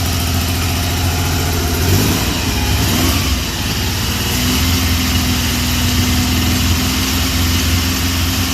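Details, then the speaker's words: 1974 Triumph Trident fouling a plug: one ignition coil has broken windings and sparks weakly. An uneven, lumpy idle with a brief rev blip as one cylinder drops out: misfire from a failing ignition coil. "At this point, I'm fairly confident that we have one coil that's just about failed. Yeah. Because it still does spark, but I think under compression, it's not sparking well."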